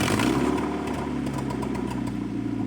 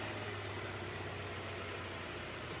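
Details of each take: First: Honda CR-V after an engine swap (replacement for a flood-sunk engine), started on the battery from the engine donor car: engine catches and holds a steady, even idle with a couple of rev blips, no knocks or misfires; running normally. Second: Honda CR-V after a flood and an engine swap, new snorkel inlet covered to test the seal: a steady low idle keeps running evenly with a dull hushed intake note, drawing very little air yet not stalling.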